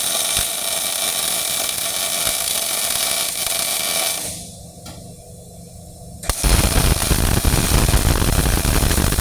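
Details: Old Miller-Matic 251 MIG welder at 21 volts and 366, welding pipe fittings: an even, steady frying crackle like bacon in a pan, a short pause, then the same smooth sizzle; steady, well-set MIG welding arc.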